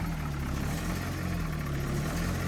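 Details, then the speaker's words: Foretravel Grand Villa motorhome diesel, possibly a big Detroit V8, 50,000 mi, cold idle on a 50°F morning after over a year of storage. Slight rise and fall in the low drone while warming up: a mild lope. "got a little l in the idle right now just trying to warm up it's about 50° out here morning"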